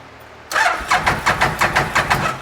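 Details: A 2012 Bennche Spire 800 UTV is cranked after an ECU reset and a cleared injector code. It gives about four even cranking pulses a second that never catch, with a spark seen jumping nearby.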